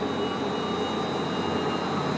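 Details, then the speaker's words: Wind turbine emulator (50 kW) in a power systems lab spinning up: steady high whine over an even rumbling hum, no knocks or grinding, with chirps as it synchronizes with the grid; normal spin-up and synchronization. "so right now you hear it's spinning up and uh and there will be some loud chirps as it as it synchronizes with the grid so right now it's synchronizing"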